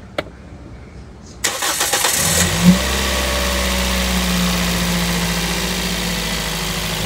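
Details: Toyota Vios gen 3, about 28,000 km, first start after replacing a valve lifter to cure a noisy engine: short crank, quick catch, brief rev, then a smooth, steady idle with no valve tapping.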